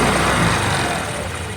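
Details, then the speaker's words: Hero Destini 125 scooter after half-engine rebuild with main bearing and connecting rod work, which cured its bearing noise: a short throttle burst that rises and eases back smoothly, with no knocking or grinding; the engine sounds healthy. "काम करने पड़ा जिसमें main बरिंग connecting red का काम करने करना पड़ा और अभी जो है इंजन का आवाज बहुत ही अच्छा आ रहा है"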